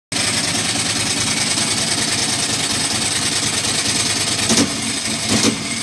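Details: Ducati Monster M900 ie: uneven, lumpy, very loud V-twin idle with irregular stumbles and a sharp pop; misfiring, seemingly when cold or wet; owner suspects the headlight wiring loom, not confirmed.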